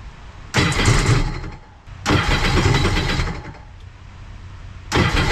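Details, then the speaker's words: Sea-Doo RXP-X race jetski being built for Pro Spec class, with fuel pressure confirmed, cranks in three one-second bursts on old stale E85; the engine churns but never catches or runs on its own, so it is a crank-no-start on stale fuel. "the E85 I tried starting with an old E85 I had here and didn't want to start"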